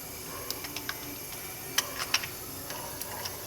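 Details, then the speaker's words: Ford Ka 1.0 three-cylinder with a dead second cylinder, engine stopped, leak-down test with air applied. A steady high hiss of escaping air with scattered ticks shows compression leaking from that cylinder. "vamos tentar mesmo aqui para saber aonde está tendo essa vazão né porque o segundo livro tá morto"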